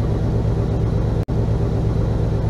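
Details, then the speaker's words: 1977 GMC Sierra K25 with swapped 2002 5.3L V8, SM465 4-speed: steady, even low rumble with no ticks, knocks or misses; runs well, normal idle. "Okay, let's see. I'll just fire it up real fast. Okay. Runs really well."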